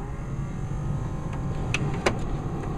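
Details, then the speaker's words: 1970 Plymouth Cuda, key on: constant low whirring hum with faint steady whine; heater blower motor working normally. "Put our key to the on position, and we will do our blower motor. There you go, you can hear that. That's the blower motor."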